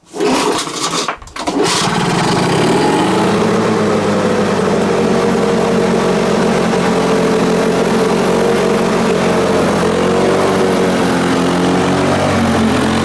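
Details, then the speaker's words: Lawn Boy 4651 mower engine run without air filter: after brief pull catches into high, busy, slightly uneven buzz; owner thinks it sounds slightly lean from lacking intake resistance, not confirmed. "running it without the earth rotate sounded a little bit lean in my opinion"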